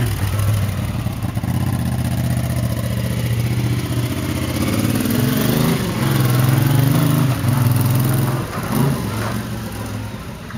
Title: Honda CX500 1981 model, motor running rough